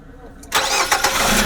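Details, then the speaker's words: Used Nissan Serena C24, dealer-serviced: brief crank, then the engine catches and settles into a smooth idle with none of the timing-chain rattle these C24 engines can make at startup while oil pressure builds. "kemudian hidupkan masih baik tadi sekalian saya mendengarkan suara mesinnya silahkan didengarkan suara mesin dari c24a akan dijual"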